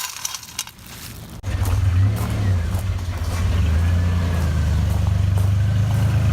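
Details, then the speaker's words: 2003 Ford Explorer after engine and transmission swap, first start with coolant added (it had started rough before): after some clatter it catches and settles into a steady even low rumble, no knocks or stumbles; healthy running engine. "the sound of a car that's alive"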